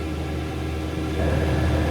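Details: Newly installed diesel heater in a 1990 Elddis Autoquest 270 motorhome on its first test run, running a bit rich and smoky; steady low roar of burner and fan with no surging, popping or misfire. Normal running.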